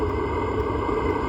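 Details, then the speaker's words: Velit 4000P gasoline heater in a 2023 Ford Transit van, first startup after install, running at maximum output without the included muffler, heard from a few feet away: steady even roar with low rumble, no surging or popping, like an RV propane furnace; normal full-output running. "as high as it can go so again just few feet away kind of sounds like what an RV furnace would sound like running like a normal propane one"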